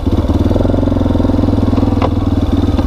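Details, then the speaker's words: Yamaha Wolverine 350 4x4 ATV with full-time four-wheel drive and automatic clutch, riding: steady engine thrum with one sharp clunk about two seconds in; owner thinks something is almost loose, cause unconfirmed. "yeah like that clunk girl there we are yeah it sounds like something's almost loose"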